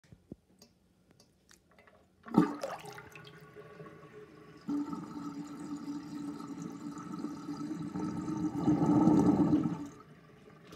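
Water runs steadily down the drain, then builds into a louder, bubbly gurgle near the end as air chokes through the old drain.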